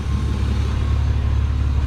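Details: BMW E36 M3 engine idling smoothly while warming up after new water pump, thermostat, serpentine belt and tensioners; steady low rumble, no ticking, knocking or belt squeal, coolant cycling toward normal operating temperature with heat working: normal idle.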